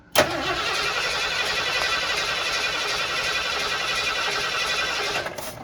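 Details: 1979 Ford Bronco under restoration, during rewiring: steady whirring cranking about five seconds with a hint of catching but no run; the ignition power wire cut fuse box power while cranking; crank-no-start, fixed by rewiring.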